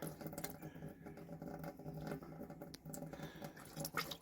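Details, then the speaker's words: Caravan after winter storage, water heater drain bung refitted, pump running with the cold tap open: irregular spitting and gurgling bursts over a faint pump hum as air and last year's water purge from the pipes. "oh here come the air and once all the air has stopped burping we know we've pushed last year's water out"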